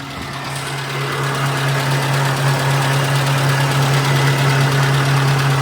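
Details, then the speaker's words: Nissan Be-1 Pike car with MA10ET 1.0L four-cylinder petrol engine, warm after driving, test-run just after new spark plugs, plug wires and coil wire (cap and rotor not yet done); starts much better, steady even idle beat, no misses or knocks, seems okay. "Seems okay. I'm not doing a Rodrigo cold rev. It is warm or it was warm. I drove here like this. but it's not horrible."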